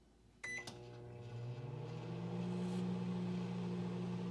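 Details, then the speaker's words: Microwave, start pressed: beep, then about two seconds later a low ramping buzz settles into steady hum; magnetron powering up normally and producing microwaves. "so did you hear that I know it's hard to hear so let me repeat the clip a few times so did you hear that about 2 seconds you hear a and that is the magnetron powering up and producing microwaves"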